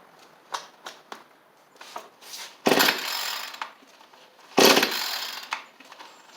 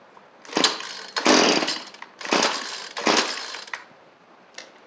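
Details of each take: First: Cheap two-stroke edger/trimmer, carburettor refitted, started with choke on: fires and revs in two short, crisp bursts with quiet gaps; picks up cleanly and keeps running. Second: Cheap two-stroke string trimmer after new carburettor and fuel lines: revs in four uneven, ragged bursts, never holding clean top speed; high-speed mixture suspected too lean or too rich, adjustment screws far out.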